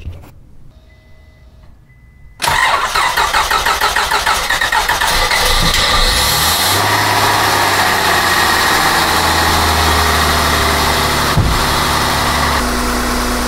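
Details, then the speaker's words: Honda Accord J-series V6 first start after valve cover gasket replacement: starter cranks briefly, engine settles into an even, steady idle with no valve ticking or clicking; healthy. "sounds good. Don't hear any clicking or any major problems."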